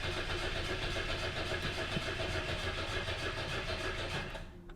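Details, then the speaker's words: 1998 Chevy S10 with a replacement LKQ PCM cranks steadily for several seconds but never catches, even though the fuel pump is heard priming. The security light is on, so it is a no-start from security lockout until the new computer is learned. "we have our security light oh god i'm a dummy all right let's uh let's learn this security right here"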